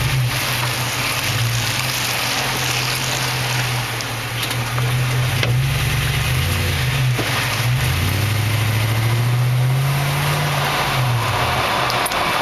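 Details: 2004 Toyota Tundra Double Cab Limited 4WD turning over uneven ground like into a driveway, mainly turning right: a few sharp separate clunks/pops from the rear as body weight shifts, over engine drone; cause unidentified.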